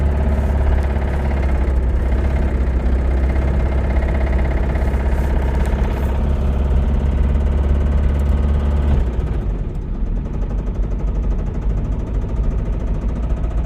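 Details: Toyota Camry engine running: rough low run with uneven deep knock about four per second, then the note drops; worn rod bearing knocking.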